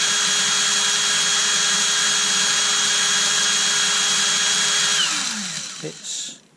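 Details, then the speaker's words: Erbauer 18V brushless drill, direction switch wired straight to the board, running clockwise: steady high motor whine at constant speed for five seconds, then spinning down smoothly; runs normally. "going clockwise. If you're the motor, it's going, you know, that way if you're the motor."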